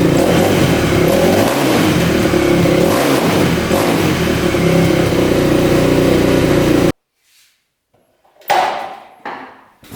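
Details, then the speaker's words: 2000 Yamaha WR400 single-cylinder dirt bike after new stator (old coils 1 and 2 open, no spark) and rebuild for no compression; crisp revs rise and fall cleanly for several seconds, then shut off; even pull, no misfire; healthy. "Alright, that sounds really good, and you can see the starting procedure works every time."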